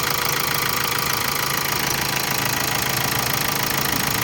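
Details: 2014 Hyundai Santa Fe CRDI diesel idling after its timing chain components were replaced: a steady idle with an even injector clatter and no chain slap or knock. It no longer knocks; this is normal CRDI diesel sound.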